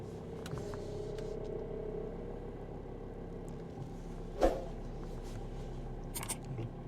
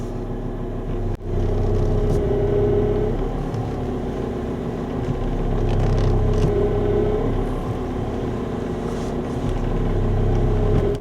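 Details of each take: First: Power steering pump that used to hum loudly, after a steering additive and a drive; the engine idles quietly with the wheel held at full lock and no pump hum. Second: Idling car whose power steering pump whines louder as the wheel is turned, still whining after two fluid changes with flushing; an additive is later used to fix it.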